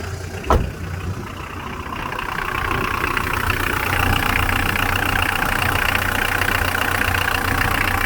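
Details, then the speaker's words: Mitsubishi L200 diesel after replacing variable geometry turbo solenoid, chasing overboost and boost fluctuation: even idle with faint turbo whistle rising through exhaust, showing geometry working normally. "we'll know actually if the geometry is working because we'll hear the turbo whistle through the exhaust if it is [Music] yep that's it"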